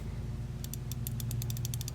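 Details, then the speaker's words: New Icon 1/4-inch drive flex-head ratchet: a quick train of about a dozen light, even clicks in under two seconds over a low room hum; a healthy pawl, judged a legit bargain ratchet. "you can hear and feel the difference but again I don't want that to detract away from this being a bargain buy for the icon because I do personally think it's a pretty legit ratchet after playing with it"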